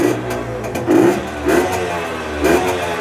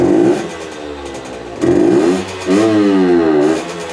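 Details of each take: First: Tuned Herkules Prior K50 moped, 50S engine, 5-speed, original displacement, aluminium head, 4.5 to 7.6 hp, carburettor now fixed: clean quick revving blips, strong throttle response, no stumble; said to run best above 6000 rpm. Normal throttle response. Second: Herkules Prior K50 moped, 50S two-stroke engine, 5-speed, original displacement, aluminium tuning head: revs up buzzing, then collapses and stumbles hard at full throttle, with too much air; worse with the air filter covered, main jet 100 too small.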